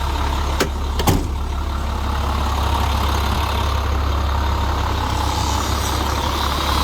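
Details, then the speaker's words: 2002 International 4300 rollback diesel, first start after new exhaust parts were installed: a steady, even low idle rumble with no puffing or ticking near the turbo. The exhaust sounds sealed and much quieter. "hopefully it's quieter now [Music] much better so much quieter in here"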